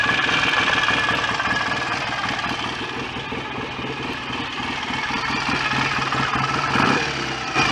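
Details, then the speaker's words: BSA A65 twin after engine rebuild, idling during strobe ignition-timing check (not revved): even, steady tick-over with no knocks, rattles or misses; no leaks, smoke or horrible noises, sounds healthy. "all sounds fairly happy with life to me [Music] don't seem to be any nasty leaks or smoke or horrible noises"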